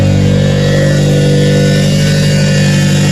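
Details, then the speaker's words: Roshi, 4AG engine, revved in neutral after new alternator belt replaced failed one; strong steady engine note held at high revs, smooth and even with no belt squeal or slap; belt drive running fine. "The belt appears to be doing well. Give it a few revs here."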